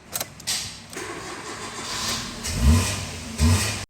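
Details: Maruti Swift petrol, after ECM replaced and key programmed, immobilizer light stopped blinking: a few seconds of starter churn, then engine catches cleanly and settles into a steady idle; starting problem fixed.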